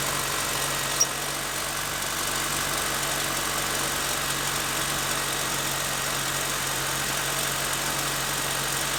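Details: 2.7L TurboMax truck at cold startup, rattle present about 40,000 miles, not worsening: constant tinny metallic buzz-rattle over the engine hum; owner suspects the turbo and expects turbo replacement eventually.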